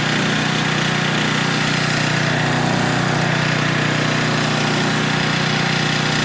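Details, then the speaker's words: Older Tecumseh 4000 W generator under a significant load of almost half capacity; steady, even single-cylinder drone holds pitch without surging, falling or struggling; normal governed run, later set to 60.8 Hz with a 1500 W load. "But if I could put a pretty significant load on it, I mean it's almost half and it doesn't even bother to fall or struggle one bit, then I'm feeling pretty confident in that."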